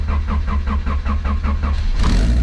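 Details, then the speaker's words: Car started after sitting a long time, low on gas: even starter cranking about six beats per second for two seconds, then it catches immediately and runs smoothly; fired right up, sounds like a lawnmower. "there we go boys and girls she fired right up sounds like a lawnmower i'm not gonna lie"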